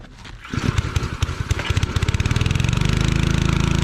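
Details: Pressure washer engine, run with water hooked up once fuel was turned on: a few hesitant pulses, then catches and settles into steady even running, about four beats a second; healthy.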